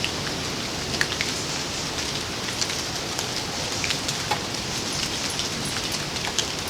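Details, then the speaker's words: Mr. Heater Big Buddy propane heater on 1 lb cylinders, lit by its igniter, warmed on the pilot, then run on low and medium. A steady soft hiss with faint crackles and no popping or sputter: a clean burn. "And you let her go and ease her up just a touch, let it get warmed up, and then turn it on to low, and you should start seeing a little, yep, there's heat coming out of there."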